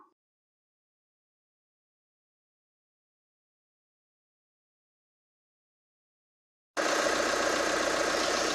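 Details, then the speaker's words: Chevrolet Colorado 2.8 L Duramax diesel, first start after starter removal/replacement for a no-start: after a long silence it settles into a steady, even idle clatter, no misses or knocks; running normally. "alive. 2019 Colorado, 2.8 liter. Good to go."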